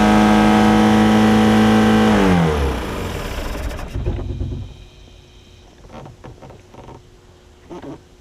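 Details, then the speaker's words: Mercruiser 3.0 in a Stingray boat that sat 9 years, first start on muffs after a new fuel pump and carburetor: steady high drone near 3500 rpm with no throttle input, then winds down. High idle from a sticking throttle. "so it did i don't know if that's uh the usual rpm or not but uh we did get it running right there i might have to back off of it just a little bit"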